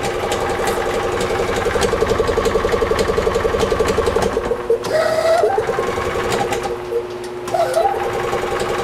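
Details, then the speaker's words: EZGO TXT gas golf cart (1996 or 1999) that is hard starting, losing power and rattling: a loose, uneven metallic clanking that varies with revs. Suspected failing clutch, worn starter-generator bearings or an internal engine problem. "the clutch is starting to fail, the bearings in the starter generator are starting to fail, or there's another problem internally on the engine. That's what that clanking noise is. It sounds like the clutch."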